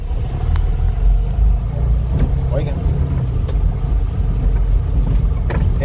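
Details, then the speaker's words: Qute driving over bumps: heavy road rumble with separate dull thumps every second or two, before parts replacement; worn upper control arm knocking. "golpe que tiene más que todo de la tijera superior es la que me hace ese ruido"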